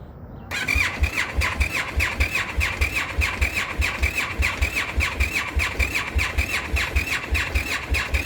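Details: Indian FTR motorcycle cold start at about 36–40°F, a recurring problem the dealer has tried to fix three times: even cranking pulses near two per second under a sharp starter squeal. The engine never catches.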